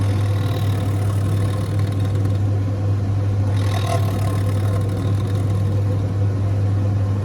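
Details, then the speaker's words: Zanussi TD200 auto-reverse tumble dryer, exhaust fan motor: steady low electrical hum with no spin-up or air rush; dryer still heats but the fan motor stalls when stood upright (runs on its back), suspected lubrication issue; motor needs removal or replacement. "Those sorts of motors, I've had them on ovens, because that's pretty much the same as a fan oven motor. They can work when they're on their back. Yes. But as soon as you put them upright, they"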